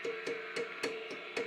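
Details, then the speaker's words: 1946 RCA 621TS television with weak, intermittent sound now oscillating: each tap brings a sharp ringing ping that hangs before dying away. Microphonic tube in the audio stage, thought to be a 6J6. "this whole thing is microphonic. I believe it's that one. It sounds like digital noise."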